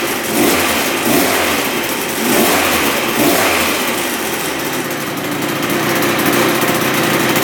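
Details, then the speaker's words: 1986 Yamaha YZ125 two-stroke barn-find dirt bike, previously bogging with no power, after fix: crisp buzz climbing cleanly on each throttle blip and settling back without bogging, not smoking excessively; normal running and revving. "That sounds pretty good. not bad. Fired right up. Sweet. This thing's running good."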